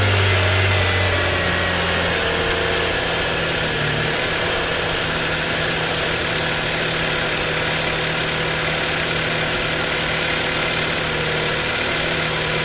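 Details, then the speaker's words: Subaru EZ30D fitted with EZ36R intake throttle body adapter and reflashed ECU, cold start without prep: settles into steady, even idle with no stumble or misfire; healthy. "There you go. Idles well."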